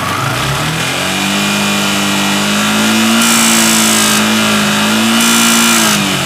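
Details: Yamaha R15 V3 BS6 revved and held high: a light, fast ticking rides over the exhaust note, from excessive valve clearance.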